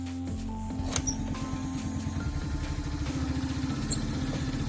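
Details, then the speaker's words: Honda Dio AF62 scooter after valve clearance adjustment (it had been not pulling, backfiring through the exhaust and losing revs). Fully cold start: catches quickly and settles into a steady, even single-cylinder putter with no misses; normal cold start and idle. "отличные mapi это очень быстро заводится мне нравится совсем холодной"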